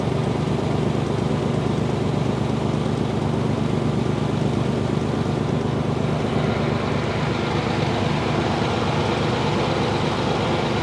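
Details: 1992 Chevy 1500 pickup at idle, viewed from under the truck: loose, tinny metallic rattle under the low drone, like metal flapping while driving; suspected cracked flywheel around the bolts, transmission to be removed to check.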